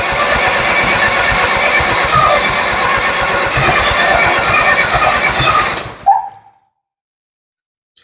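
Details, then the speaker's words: Ford 7000 diesel tractor with suspected timing problem, possibly 180° off, after front cover checked and injector lines loosened; starter cranks harshly and evenly six seconds without catching, then drops out; hard starting, cranking without firing. "She's trying to start. It's doing more now than it did yesterday, so I'm pretty happy with that."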